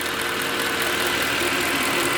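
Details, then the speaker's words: Mercedes ML63 AMG W164 M156 V8 after power steering pump replacement, warm after drive: steady even idle with smooth hiss, no ticking (ticking only after long sitting). Normal idle. "all right guys back home you can hear no ticking he's just from sitting for so long it's typical m156 Behavior so uh let's go check the engine bay she is sounds very nice and healthy felt is dead even"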